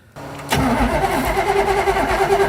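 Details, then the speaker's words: Roadkill Vette Kart with FiTech injection after a fire test: cranks and catches within half a second, then an uneven, lumpy idle with a wavering note; fuel smell, suspected burnt wiring harness or fuel leak. "Uh-oh. This is not good. Did I burn through the harness? I smell fuel leaking or something."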